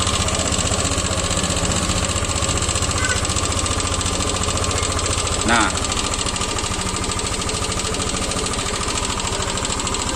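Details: Yamaha Lexi scooter idling with a rough, rapid rattling snore over the steady beat, strongest at low revs, seemingly from behind the radiator; noisy engine from worn roller rocker arm.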